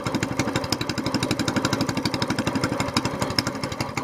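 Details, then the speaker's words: SPS longtail mud motor warming up on a very cold morning, choke just switched off, before an oil change: steady, even single-cylinder idle at about four pulses a second with no knocks or misses; normal warm-up idle. "it's really cold out here this morning so we're just going to crank it up let them run five four or five minutes get good and warm I've got the choke still on there the choke off now just now idling"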